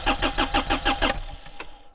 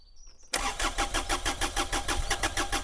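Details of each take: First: Mini-excavator diesel, old fuel, cranking while air is bled from the lines: starter chugs in about six even compression pulses a second with no firing, then stops; fuel not yet at the injectors. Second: Mini-excavator three-cylinder diesel after bleeding air from the fuel lines, fuel pump replaced as preventive maintenance: cranks, catches at once and settles into even chugging at about three beats a second; normal start.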